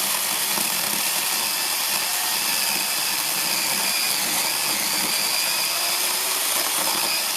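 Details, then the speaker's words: Repaired counterfeit Makita DUC302Z brushless cordless chainsaw, reassembled, on a single battery, cutting wood with the full bar buried: steady high-pitched whine held under load without bogging; cut out once, likely from the wood. It previously stalled and wouldn't pull; now cuts normally. "Як ви бачите, я заганяв на всю шину. Вирубилася раз, тому що попала на мабуть деревина. Все працює, навіть на одному акумуляторі, тому тест пройдений."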